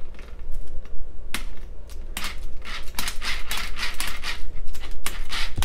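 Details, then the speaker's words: DHK Maximus 1/8 RC monster truck, center differential already replaced: sharp, irregular clicks and clacks a few times a second as the drivetrain turns, from the failing front differential; a loose screw and wobbling C-cup also noted. "that is the front differential we did replace the center differential"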